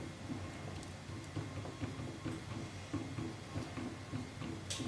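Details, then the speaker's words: Anycubic Kossel delta 3D printer printing fine-textured features with fast jerky moves: stepper chirps with faint ticks and rattle; loose arm ball joints, held by rubber bands, cause vibration that degrades print quality. "You can also hear it, and this vibration degrades the print quality."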